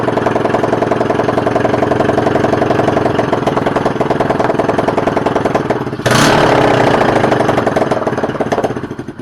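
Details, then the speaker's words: Used Chinese 125cc carbureted engine, rewired, running on 93-octane fuel, first start after repair with a little smoke: even steady idle, picks up cleanly on a blip and settles back; idles and revs healthy. "It idled, it revved, it started b"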